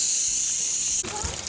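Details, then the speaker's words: Rain Bird irrigation system at spring start-up, main valve opened only slightly: a steady high hiss of water leaking at a fitting, normal at low pressure; it seals up once the pressure is raised. "right you can see this is leaking out here this is normal it's just because the pressure is not high enough to seal that up so I got to turn a little bit more"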